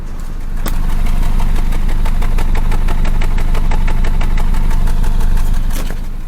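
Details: 2022 Nissan Rogue idling roughly with bad knocking, an uneven stumble about three times a second; cylinder 3 misfire, owner swapping coil packs/spark plugs to find whether plug or coil is at fault.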